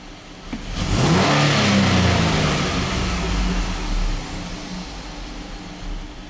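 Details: 2010 Dodge Nitro 4.2 L, cylinder 4 misfire code on bank 2, wide open throttle test: engine snaps to full revs and eases back with a slightly ragged, uneven note; cylinder four misfiring.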